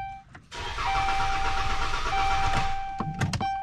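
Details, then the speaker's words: 2011 Dodge Grand Caravan, complaint cranks but does not start: starter whine with steady cranking about four a second for two seconds, never fires. "okay 2011 uh dodge grand caravan because i'm complaining vehicle uh cranks but does not start so [Music] you can see it just cranks over [Music]"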